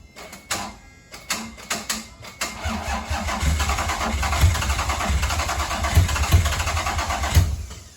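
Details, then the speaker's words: Toyota MR2 3VZ-FE V6 being started: starter cranks in uneven bursts, then catches rough and lumpy with irregular thumps, misfiring with wet liquid dripping from exhaust. "it was misfiring so I don't know but this is like I said this is wet it's like liquid this is what we're getting"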